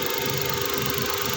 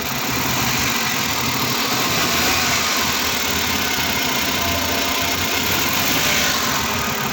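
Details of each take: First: Suzuki DA64 with a K6A three-cylinder petrol engine after the cylinder 1 misfire code was cleared. It idles steadily with an even beat and no misfire stumble; the coil or spark plug had been suspected. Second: Suzuki DA64 with K6A engine idling with check engine light: uneven stumbling beat; scanner shows cylinder 1 misfire, ignition coil or spark plug suspected.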